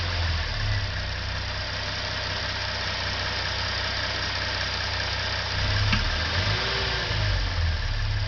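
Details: 2013 Genesis Coupe 3.8 GDI at warm idle: an occasional light click or clunk every few seconds when light throttle is applied, coming from the throttle body.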